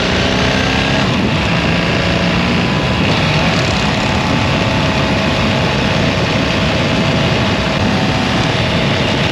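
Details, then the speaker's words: BMW R 1300 GS boxer motorcycle, about 10,000 km, under warranty: steady cruise around 3,600–4,200 rpm; constant light clacking over the even hum, heard only on left side, owner suspects ShiftCam, says clearly not normal; valve train clatter. "ça c'est le bruit que j'entends tout le temps alors Carter moins ép je veux bien mais là clairement c'est pas normal quoi"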